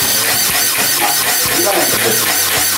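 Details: Water pump automatic pressure switch with air drained from the pressure tank, small tap opened: rapid steady clicking several times a second over rushing water hiss; switch short-cycles because the waterlogged tank has no air cushion for compression.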